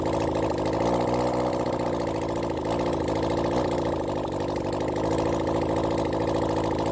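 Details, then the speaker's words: Honda CB400 Four engine on bench run during carburettor balancing: idle stumbles and loses its even beat, a sudden misfire blamed on one failing ignition coil pack that gave a shock. "you'll probably he this bik got quite a bit of a misfire suddenly it picked up"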